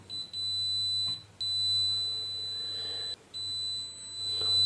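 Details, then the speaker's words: Spider MMA-600 IGBT inverter welder that won't power on, with a flashing LED and a fan cycling on and off, DC rail discharged: long, unbroken shrill continuity beeps show a component in the high-current switching section shorted straight through; both components to be disconnected. "ये भी यहाँ पर देखिए, ये short circuit है। अभी हमें ये दोनों कंपोनेंट ये डिस्कनेक्ट करने हैं।"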